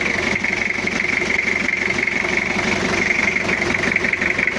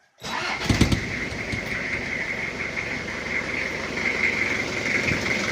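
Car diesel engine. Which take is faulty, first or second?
first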